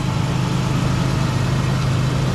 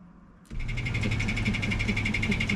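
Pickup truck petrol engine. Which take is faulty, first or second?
second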